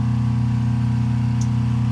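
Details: Rotary phase converter rebalanced with added capacitors on the generated leg to hard-start a 7.5 HP Wadkin 26-inch planer; legs reading about 235, 253 and 258 V. Smooth, steady low hum, no surging, growl or rattle; running balanced and quiet.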